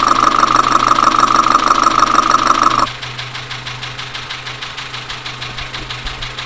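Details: Dacia Sandero, Renault D4F 1.2 petrol, recorded via stethoscope at idle: steady even metallic knock about three per second; loud engine knocking, owner suspects low oil and possibly a spun bearing, unconfirmed.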